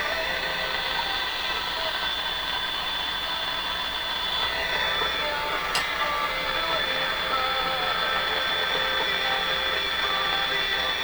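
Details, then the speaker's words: Sony TR712 transistor radio after three little green capacitors were replaced: a thin, hissy, fuzzy, steady output with no clean tones; the distortion is unchanged and its cause is still unknown. "well i think it has exactly the same uh fuzzy sort of sound to it again you could listen to this radio but it's not where it could be"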